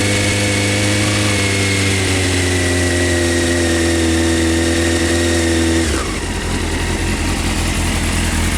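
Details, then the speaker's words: 1998 Honda CBR F3 motorcycle outdoors after oil change with fresh 4 quarts oil, new filter and crush ring: smooth raised idle dropping cleanly to lower even beat after six seconds, no ticks or knocks; normal idle. "She is sounding good."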